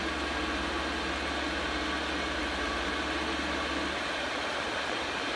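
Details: Chinese diesel air heater, previously faulty, bench tested with horizontally mounted dosing pump, some air still in the line: smooth fan rush over a soft even hum, no knocks or sputters; burning steadily and working normally.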